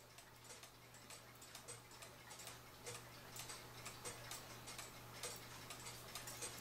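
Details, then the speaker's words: Cuckoo clock after bending the wire behind the pendulum wire to level the movement: crisp, evenly spaced ticks about two per second; clock in beat and running properly. "It has the nice even tick-tock sound to it."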